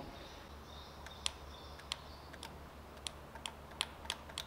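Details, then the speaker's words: Mercedes GL X164 AIRmatic, right front damping valve unit Y52 (fault codes 5220/5230, solenoid valves Y52Y1/Y52Y2); valve bench-powered directly because wiring was broken. Sharp, crisp single clicks each touch, valve working; fault is broken wiring, not valves. "This one is clicking too. So nothing wrong with the two valves."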